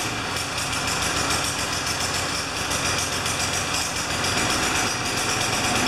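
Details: Craftsman 20-inch side-discharge mower on a final test run after repair and wipe-down, before returning it to its owner: small engine runs at a steady, buzzy speed with no misses, surging or knocks; normal healthy running.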